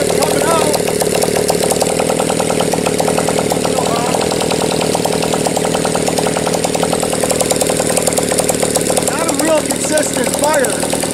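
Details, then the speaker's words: Motorcycle started indoors, likes a little choke when it first fires, oil not yet changed. Steady, even, rapid beat with no misses or knocks, running fairly well. Normal running. "I've already had the bike running it's actually running not too bad here"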